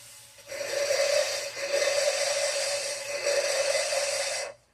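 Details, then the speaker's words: Small-block Chevy engine rebuild for a 1978 GMC truck, valve lapping: steady gritty rasp with faint ringing, changing as the valve is lifted to let compound back in, then quieting; normal grinding of lapping compound against the seat. "You can hear it grinding. Hear that sound change? That's me pushing the valve back out away from the mating surface, allowing the compound to kind of seep back in."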